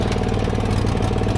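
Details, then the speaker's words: John Deere GT245 mower with a plugged air filter, running rich and misfiring, better at low speed: loud uneven chugging with lumpy, stumbling beat; owner suspected spark or a breather issue, later traced to the clogged air filter. "I think I might pop the air filter off and just see if there's, you know, something going on with the oil breather or something. But she ain't happy. She's in a real bad way"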